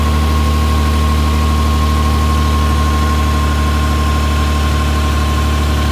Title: LX450 Exhaust leak